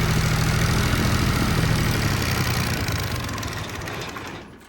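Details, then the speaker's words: Kubota ZD28 mower, D1105 diesel, idling after injector cleaning on a chilly day: uneven labouring chug about three beats a second that sags and dies away. Engine bogs and sometimes shuts off at low/high idle and full load; problem persists, no fuel leaks. "check out the idle. There you go, it's doing it. You hear the engine trying to boggle down. So, I still have the problem."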